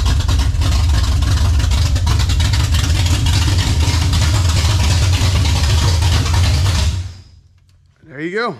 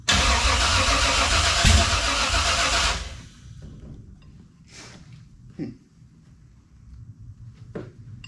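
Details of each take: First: 1967 Camaro 454 big-block: loud, steady, deep even lope about seven seconds before shutting off, no stumbling, longest it has run; carburetor no longer bleeding over; healthy idle. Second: 1967 Camaro with a newly installed 454 big-block, first start with the carburetor primed but the fuel pump apparently not working: loud rough running for about three seconds, then an abrupt stall with faint clunks afterward. Fuel starvation is suspected, not confirmed.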